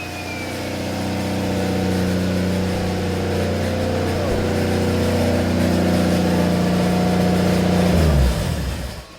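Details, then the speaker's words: Nissan RB25DET with a new ISR 3576 turbo replacing an old one that had shaft play, revved after warming up: strong, even rev that builds smoothly and drops back cleanly with no knock or rattle; sounds more responsive than before; healthy engine revving. "Not gonna lie, that sounds way better than it did before. I think we fixed the car, but I'm not 100% sure. But that sounds way more responsive and sounds a lot meaner."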